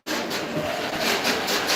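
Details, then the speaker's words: Gear grinding during motor and gear overhaul of a big truck: harsh rasping grind with rough pulsing rhythm as the gears turn. "you guys can hear the gear is already grinding"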